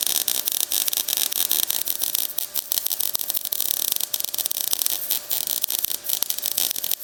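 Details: MIG welding thick steel on a drop-down running board support of a 1956 International COE rat rod, set hot and fast: harsh, sputtering crackle with irregular snaps from a joint gap, softening as the gap fills.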